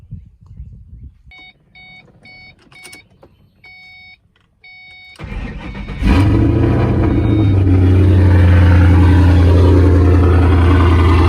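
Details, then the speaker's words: Mustang 3-valve V8 just after cam install on both sides: chime beeps, engine catches and settles to a steady, even idle sitting a touch fast; idle slightly high, considered how it will sound. "Still idling a little bit high, but still, it's already where it's at, you know. Like, this is how it's gonna sound."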